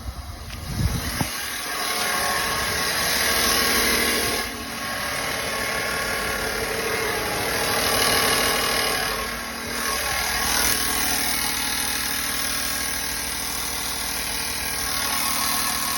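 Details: 2017 Silverado V8 after DOD delete idling with a light, fairly regular tick about four a second over the engine note; smells like fuel; engine ticking at idle.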